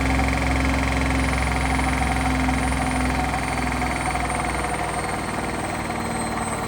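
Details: Hotpoint washing machine on its final spin at full speed: a loud, steady droning roar with heavy low rumble, from bad drum bearings.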